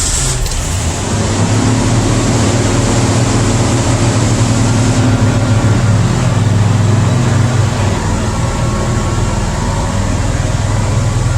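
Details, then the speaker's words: Ford after EGR fix for code 332, first start: steady engine drone holding raised speed, high idle; unplugging idle air controller lowers it, owner suspects old throttle position sensor. "better startup than its had first time ever little high though comin down the high idle"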